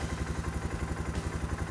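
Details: Suzuki King Quad 450 ATV starting after sitting a couple of weeks, following a fluid service and cooling system repair: even, steady quick thumping with no misses or knocks; normal idle.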